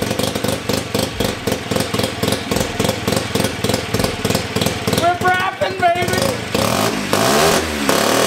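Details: 1975 Hercules W2000 KC27 294cc rotary, 5-speed, ~30 bhp, fully rebuilt, kick-started with transmission on; carburetor tilted. Rapid regular popping beat climbing smoothly to a raspy buzz when revved; running and pulling cleanly, normal running.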